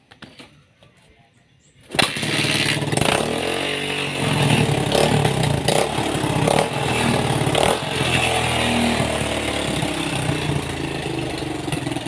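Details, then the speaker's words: Suzuki Thunder 125 that was hard to start, after adjusting the carburetor air screw and idle speed: quiet for two seconds, then the single fires right away on the kick-start and settles into a steady, even run with no stumbling. It is back to normal. "dan motor bisa hidup dan normal kembali ya bosku."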